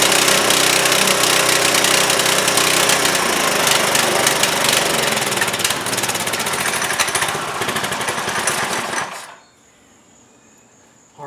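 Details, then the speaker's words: Trailmaster go-kart, Chinese Honda-clone engine sitting over a year, after carburetor cleaning: buzzes hard and fast while choked, then fades and dies when choke released; carb needed a second cleaning before running with choke open. "Wow. It's running if I choke it, but when I release the choke, it doesn't want to stay running."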